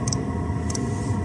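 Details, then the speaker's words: 2 kW Chinese diesel heater on a spare tank with standard pump and filters, turned right down to its minimum setting of 8 during a fuel consumption test: a crisp double tick about every 0.6 s over steady fan hum, the dosing pump working normally. "There we go. That's the pump."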